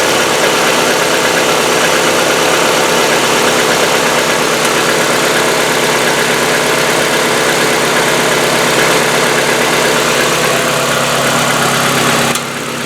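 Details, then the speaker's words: Hyundai Getz, fully cold engine after a day parked, fresh oil without additive: fast light hydraulic lifter ticking about three per second over idle, slightly shorter than on old oil but still present. "Также после замены масла, после долгого простоя гидрики стучат. Стук по продолжительности, конечно, уже немножко меньше, чем на старом масле, но все равно присутствует."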